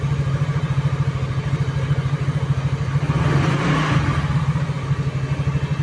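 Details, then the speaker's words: Easyride 150Fi scooter after fix for visor-area vibration: fairings and windshield refitted, steady single-cylinder thump rising and falling with throttle, no bodywork rattle or buzz, vibration gone. "mission success nawala yung vibrate niya dahil doon kaya mas maganda simple lang"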